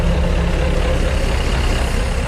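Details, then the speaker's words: Mercury 3.0L four-cylinder in a 1999 Chaparral 180 LE bowrider on muffs, first start after six months in a shed: steady low rumble with a slightly uneven beat at idle; a bit rough, cause not pinned down. "sounding a little rugged but you would too if you've been sitting inside a shed for the last six months"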